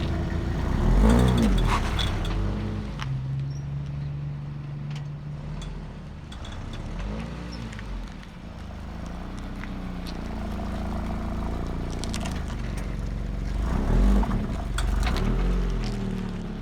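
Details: 2018 Subaru BRZ rolling slowly after an alignment: low road rumble with occasional drawn-out creaks and squeaks from the driver's side rear suspension.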